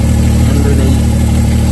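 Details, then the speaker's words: Deep, uneven loping idle, like a big cam, from a Mk4 car; vacuum leak from a small hole in the back of the intake, air felt being sucked in; taped over, idle then smooth. "car was sounded like I had a big old cam in it so ice we're here in the air just sucking like me wouldn't that noise vacuum leak"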